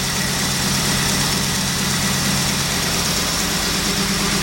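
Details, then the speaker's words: 1989 Trans Am V8 idling on first start after sitting 5-6 years, fresh set of 8 spark plugs: lumpy, uneven idle with a steady hiccup in the exhaust beat, one cylinder dead because a spark plug wire was left unhooked. "You know why it's missing? Hear that? I forgot to hook up that spark plug wire."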